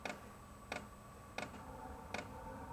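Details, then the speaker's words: Wippro 8 kW all-in-one diesel heater, first start self-priming with about a quarter tank: crisp even ticks roughly every 0.7 s over faint hum, fuel pump normally pulsing diesel before the burner fires. "t just self-primes so that's what you hear the ticking right now that's the fuel pump sending fuel into the diesel heater and then once it reaches that it should start firing up"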